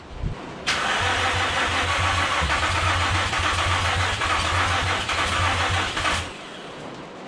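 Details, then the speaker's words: Nissan G35 after manual transmission swap, on old ECU, no coolant: starter cranks steadily about three turns a second for over five seconds but never fires; owner suspects battery drained by repeated cranking, unconfirmed. "see now i don't actually know the reason it's not starting i'm gonna say it's because i don't think there's enough uh juice left in the battery"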